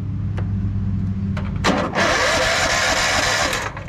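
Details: Yard Machine riding mower with click-no-start fault: a few clicks, then starter spins engine steadily nearly two seconds after reseating wire connectors at the start switch circuit; starter now engages properly.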